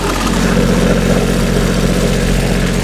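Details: Terex light tower diesel generator, first start after a rebuild with a new fuel filter and cleaned connections: loud, steady, even low thrum with no misses or knocks. Normal start and running.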